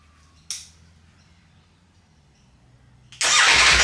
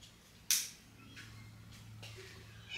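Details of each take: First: Wrecked 2020 Ducati Panigale V4S being rebuilt into a race bike, first start after priming and fresh fuel; brief earlier backfire and smoke from oil and fuel vapour on the engine. Catches after three seconds into a steady roar, running fine. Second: Wrecked 2020 Ducati Panigale V4S, first start after refuelling, with smoke from oil and fuel vapour burning off the engine: a single sharp crack on a quiet start-up with no engine rhythm after it; a backfire on startup of unknown cause.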